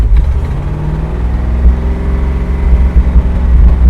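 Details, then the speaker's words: 1968 International 1500C dump truck, V8 (possibly 345), first start after about 20 years: low rumble surging and sagging, won't hold steady idle; wants choke, owner suspects dirty carburetor primary jets, unconfirmed. "it uh doesn't like to idle right now I can rev it up and down but it wants a little bit of Choke uh maybe the primary jets are dirty in the carburetor"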